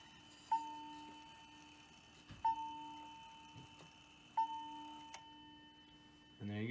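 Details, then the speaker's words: Hamilton bracket mantel clock from an estate sale (movement doesn't run, chimes work), five o'clock hour strike: three soft, thin bell strokes about two seconds apart with little punch, because the strike hammer doesn't slam down hard enough. "so the outer strike does have a small problem it should sound like this but it doesn't slam it down hard enough"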